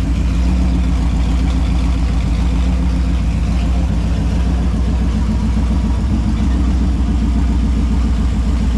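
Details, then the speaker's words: Holden 253 V8 on a bench test after a freshen-up: new bearings, honed bores, new rings, Yella Terra heads, new timing chain. Deep, smooth idle with an even, steady beat and no ticks or knocks. Rebuilt engine sounds healthy. "so there you have it she's uh all sounds good goes good doesn't look like it's leaking anything"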